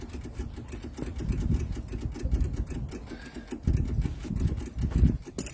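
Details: MEP002a military diesel generator from auction, unrun for decades, with rusty fuel, before glow-plug preheat and with no engine running. Rapid, steady low ticking as the electric fuel pump clicks, bleeding air out of the fuel lines.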